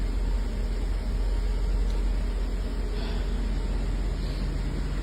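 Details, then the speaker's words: 1984 Mercedes 380SL after its 40-year-old ECU was replaced with a new-old-stock unit to fix rough idle and black smoke: a steady, even idle with no misfire stumble and no black smoke; the owner says it idles correctly now, though some gunk may still be working out. "but she sounds normal now this is what this car is supposed to sound like she's idling correctly"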